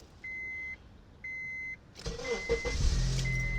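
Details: 2005 Honda CR-V that buzzed when starting, after ignition switch replacement: two dashboard chimes, then a brief crank, and the engine catches at once and settles into an even idle.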